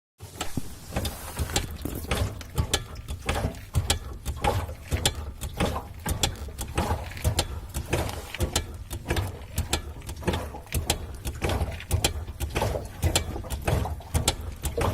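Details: BMW E30 driving with irregular clicks and ratcheting clunks from rear drivetrain, plus petrol splashing; owner suspects output shafts, driveshaft carrier bearing, rear or diff mounts, or differential.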